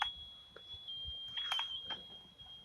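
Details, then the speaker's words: ICOM IC-2000 radio keyed with PTT: a constant high whistle (about 3 kHz) on the transmitted audio with a few clicks. It is not microphone feedback howl and stays the same at any volume; cause not confirmed. "หาเมื่อกดขี่ส่งนะครับเสียงที่ออกอากาศไปไงมันจะมีเสียงหวีดนะครับเสียงหวีดไม่ใช่เสียงอ่อนหรือคล้ายเสียงหอนนะครับ"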